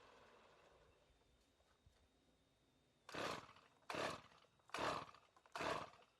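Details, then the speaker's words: RedMax string trimmer two-stroke, sat for years, mixed gas with Lucas oil: four sharp throttle blips each tailing off with a rough knock as revs drop; won't idle, suspected very low compression; engine then blew up. "Hear that knock when I let off? That don't sound too good."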